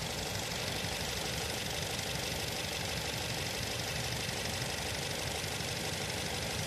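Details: Nissan Tiida at idle: rough, uneven idle with a stumbling beat about three times a second over the engine hum; misfire, suspected spark plug problem.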